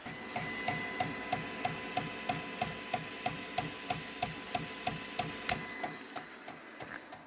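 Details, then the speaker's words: Creality K1C 3D printer with a clogged hotend; sharp, evenly spaced clicks about three a second over a low motor hum as the extruder skips while extruding. This happens frequently on this printer. "It's got a clicking sound that goes along with it."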